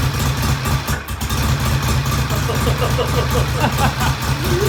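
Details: Vintage British motorcycle, idle mixture set just off the lean idle drop stutter: steady, even single-cylinder-style idle with a faint surge late on; running cleanly.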